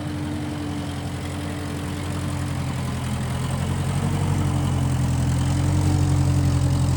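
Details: 1955 Massey Ferguson MF65 tractor, run after sitting a couple of years, carb cleaned; owner thinks the Marvel Schebler carburetor needs slight dialing in. Constant low drone building slightly in loudness, no stumbles or misfires: normal running.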